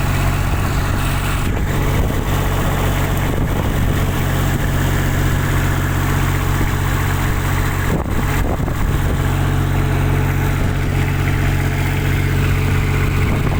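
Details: Kubota diesel on a tower light, previously not starting, after fixing a clogged primary fuel filter, loose fuel hoses and an air lock: steady, even low idle drone with no hunting or surging, plus a couple of handling knocks; runs smoothly.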